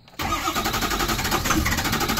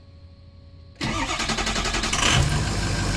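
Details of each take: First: Ford 6.0 Powerstroke diesel crank-no-start: steady starter cranking, the engine turning over evenly but never catching, while FICM voltage and ICP/IPR readings are monitored; low injector module voltage suspected. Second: Ford 6.0 Powerstroke after fitting a rebuilt tested FICM: starter cranks about a second, catches with a quick flare, settles into steady diesel idle; normal start with sync, FICM above 45 V, good injection pressure.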